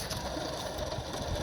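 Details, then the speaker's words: Removed alternator from a 2000 Ford E150 van with the 4.2 V6, pulley spun by hand: rough, gritty rumble with a faint squeak from a dry, rusted, worn bearing that caused the growl. "can you hear it you can hear like a little rumbling on it so that noise will be louder with a little belt tension you actually hear it squeaking"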